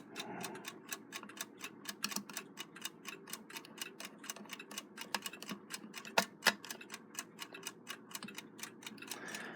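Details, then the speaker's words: Rebuilt Westclox Big Ben Loud Alarm style 5A movement, just wound and cased up; crisp, even ticking roughly three to four beats a second in a quiet room, running well. "just wound this thing you can hear it sticking very aggressively and that thing is on fire it's running real nice"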